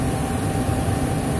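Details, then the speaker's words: Intertherm electric furnace, two-speed 1/4 hp blower, fan-only drawing 1.6–1.7 A, no heat complaint: steady mid-pitched whine over even fan rumble; technician suspects the likely original blower motor is near failure. "you can hear a little bit of a whining noise in there something you'll hear on a fan motor that might be getting near it"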